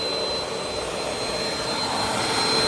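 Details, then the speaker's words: Bissell PowerLifter Swivel Pet upright vacuum, curb find left outside for a long time, first run after shortening the frayed cord: high, steady whirring motor with constant airy hiss and a faint fixed whistle; motor runs normally. "I can't believe this thing turned on."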